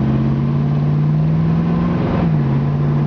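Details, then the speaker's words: Fully restored 1969 Pontiac Firebird convertible, engine and automatic transmission with 1,500 miles since rebuild, driving: steady engine drone with one smooth, clean gear change and no slip or flare; normal shifting. "You could hear that transmission shifts out perfect. In fact, I'll slow down and just kind of let you pay attention to the transmission shifting out."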